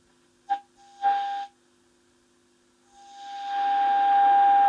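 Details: Valve (tube) radio during shortwave RF alignment: clean steady mid-pitch test tone over rising hiss received exactly on the dial at 17.9; alignment spot on.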